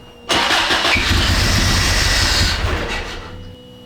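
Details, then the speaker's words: Isuzu Amigo after fuel tank relocation using 1988 Isuzu Trooper II donor parts, first start attempt: catches on the starter, runs roughly about two seconds, then dies; air in the fuel system suspected, to be bled through injectors. "Hey, that was running. Yeah, that pump. Yeah, I think there's some air. I think we got to work out the air through the injectors."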